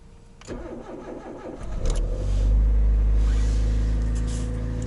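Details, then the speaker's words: Toyota Rush, 3SZ-VE engine, a year after a knocking-engine repair, cold start at about -20 to -23 °C after sitting all weekend. Brief crank, oil pressure light goes out at once, quiet smooth idle with no knock: normal cold start. "отлично завелась давление сразу погасло Нет тихо работает мотор все отлично слышно только дизель"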